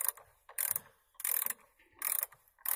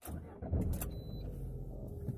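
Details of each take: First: Lada Granta driving: short dry creaks in bursts, roughly one every half to one second; doors creaking in their frames while moving. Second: New one-year-old Lada Granta, about 20,000 km, after lubricating and wiping the front door areas to cure a creak: cabin road rumble and soft bumps on an uneven road, doors no longer squeak.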